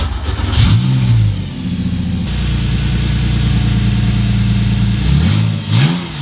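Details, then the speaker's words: Porsche 911 with a swapped Subaru EZ30R flat-six: a smooth, even idle with a steady low pitch and short clean revs. Normal idle at 800 rpm after plugging vacuum inlets on the air intake cured the earlier high idle. "I mean wow can we talk about how smooth and buttery that sound is I didn't really know why it was revving at super high RPM before but I plugged some of the vacuum inlets on the air intake and then it smoothed everything out to 800 RPM so it just sounds amazing it's super smooth"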